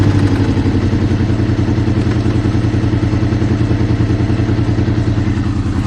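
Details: Honda VFR800 VTEC V4, about 56,000 miles, warm above about 80C, low revs around 1500-2000 rpm: steady clattering knock about three per second, seemingly from the right side, possibly the rear cylinder; engine knock, source undetermined.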